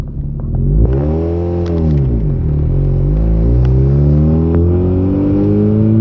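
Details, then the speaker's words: Mazda RX-8 rotary under heavy throttle pulling from stop signs: note wavers and stumbles with misfire around 75–80% throttle, wants to stall above 50%; random fuel cut and misfire. "eighty percent throttled misfire you know cotton another stop sign coming in wants to do it but again for some reason at about ninety percent throttle there if I keep the throttle oh it doesn't do it"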